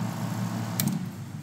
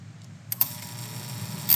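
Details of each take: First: Jun-Air UltraQuiet compressor running normally with the cover off, on auto between pressure switch set points: quiet, even low hum from heavy noise dampening, with one brief hiss of the purge valve partway through. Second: Jun-Air UltraQuiet compressor at power-up: sharp clicks and bursts about every three seconds over a low steady hum, not typical solenoid vibration; the auto purge solenoid is chattering abnormally, so it is disconnected for safety.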